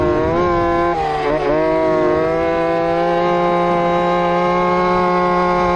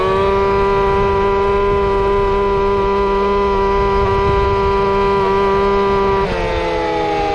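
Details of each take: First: Two-stroke RC Big Foot, hot pipe, top-end needle adjusted, about 28 mph: high buzzy full-throttle wail wavering and dipping before steadying; at lean limit, breaking up. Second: Two-stroke RC Big Foot, camera chest-mounted, warmed up after fixing motor plate screws rubbing the off-road tire: high steady wail holding pitch at top speed, brief dip, clean recovery; normal full-throttle run.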